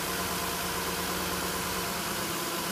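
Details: 2010 Nissan Murano Z51, 87,000 on the clock, after throttle body cleaning, still warming up: soft even idle hum with steady low pulse, no stumbles or knocks; smooth, hunting not yet judged until warm.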